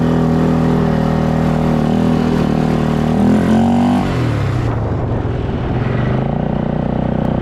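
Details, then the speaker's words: Polaris Scrambler 500 four-wheeler, single-cylinder, barn find that sat 10 years, ridden after getting fuel, no front end fitted: pulls cleanly through the revs and settles back smoothly, no misses or knocks; healthy running under load. "Okay, now this has no front end on it, but that's [Music] fine. That's man. She rips. Okay."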